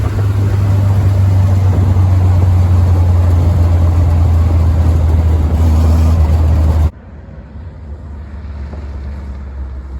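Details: Willys CJ3B with a newly fitted F-head engine; loud deep chugging exhaust about four beats a second until switched off, tractor-like, blamed on old muffler; idle linkage still to be adjusted down.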